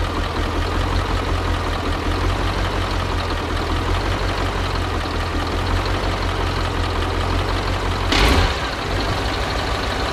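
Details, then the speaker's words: Soviet-era Kamaz diesel truck, first start after over 6 months sitting, just after field oil change and new filters: heavy steady low diesel rumble settling to even idle, short air hiss near end as brake air builds; smoke from storage; normal idle. "Now, the Kamaz has finally started up. As I said before, it's been over 6 months since we last started it, and that explains the smoke."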